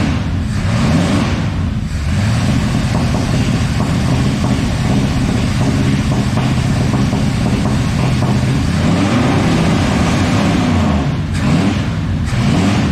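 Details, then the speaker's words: 1986 Ford F250, 351 Windsor V8, first running after the pickup coil gap to the gear was closed to restore spark: loud, uneven idle with rpm wandering and no steady beat. Owner suspects it is loaded up with fuel (oil smells of gasoline) and has serious vacuum leaks. "I think the way it's running right now is, one, she is loaded up with fuel. That oil smells like it came straight out of a gas pump. Two, I'm pretty sure that I could hear some serious vacuum leaks"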